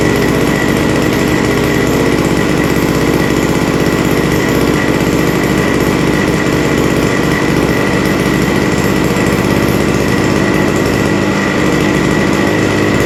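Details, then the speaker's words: Vintage WeedEater leaf blower, two-stroke, Walbro diaphragm carburetor with only an idle mixture needle: loud rough roar at full throttle with a slightly blubbery edge; sounds rich on the top end, no high-speed adjustment available. "So it sounds like it's running rich on the top end, but again, we don't have a way to adjust that."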